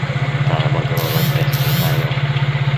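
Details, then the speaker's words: Nissan LEC that would not start, after repair and reassembly onto the engine: even, quick pulsing idle with a steady drone and no misses or knocks, apart from brief handling noise. The engine now runs smoothly. "at sana aandar na pagkakabit sa makina Ayan po umandar na yung ah makina Okay na siya"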